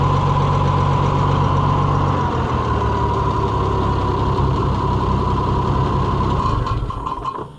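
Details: Oliver 1650 tractor after swapping to a new Delco-style distributor with points filed: smooth, even low idle with steady rhythm, no misses or knocks, then winds down; engine running healthy.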